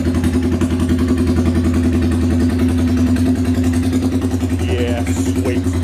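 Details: Royal Enfield 350cc Bullet with a custom open megaphone exhaust, no baffle fitted: loud, deep single-cylinder thump, steady and even, with no clatter or misfire; healthy.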